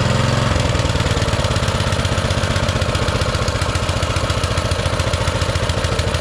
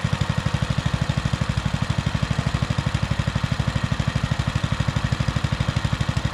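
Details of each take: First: Baja Motorsports Baja Warrior mini bike, single-cylinder with small Japanese-made carburetor, just started: a fast, even popping at a raised idle held up by the choke; the owner fears taking the choke off will make it rev higher. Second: Baja Motorsports Baja Warrior mini bike, single-cylinder, started cold in very cold weather after an intake air gap was sealed with rubber and adhesive: a low, steady, even thump of about three beats a second, idling cleanly off choke.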